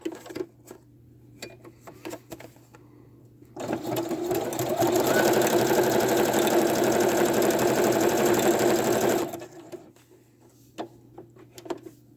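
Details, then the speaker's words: Sewing machine stitching fast: a light tap about four times a second keeping pace with the needle; owner suspects the metal bobbin causes the clicking. "so i don't know if you guys hear that tapping noise do you know how they say not to put metal bobbins in your sewing machine i have a metal bobbin in my sewing machine and that's what's making that clicking noise in there"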